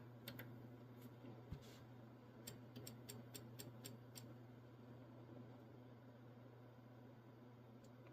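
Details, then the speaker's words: Two-transistor Motorola-device linear amp on low, driven by an over-modulated CB radio from an HP power supply: with RF drive lowered the amp keys but drive is too weak, so its relay chatters with irregular sharp clicks over a low hum. "so I'm going to lower this down and there we key in it but it's not enough dead key you can hear it clicking"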